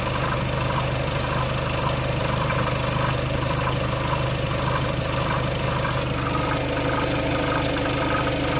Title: Skoda Octavia 3 2.0 TDI - weird engine sound